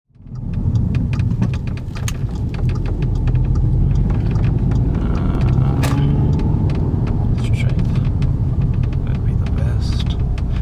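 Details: Audi 8V S3 driving: sharp uneven metallic ticks over heavy road rumble from the closed sunroof rattling against its frame.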